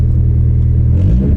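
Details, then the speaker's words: Lowered, aging, oil-burning car after a race: a louder, raspier low exhaust rumble than before, from an exhaust leak. "Notice how it's raspier and definitely louder than before. Exhaust leaks are a problem no matter what car you have."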